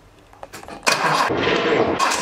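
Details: Datsun 280Z: starter whirs steadily and the engine turns over evenly but never catches; cranks without firing, traced to the fuel pump not running.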